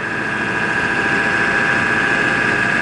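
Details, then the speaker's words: 1999 Ford F350 Lariat dually, 7.3 diesel, six-speed manual, on a test drive: a steady, even drone with a constant mid whine and no misses or knocks. It shifts without grinding, gets up to speed, and starts hot or cold with no rough running. "it gets right up to speed it doesn't run rough when it's cold you know it starts right up hot or cold no issues with any of that"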